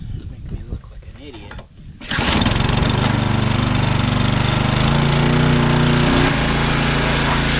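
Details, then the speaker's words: Pressure washer engine over 20 years old, oil likely never changed, spark plug replaced once. A couple of pulls on the starter cord, then it catches and settles into a steady, even chatter; it starts and keeps running. "so anyway let's uh let's crank it over and see what happens"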